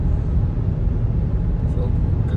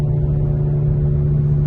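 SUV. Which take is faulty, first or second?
second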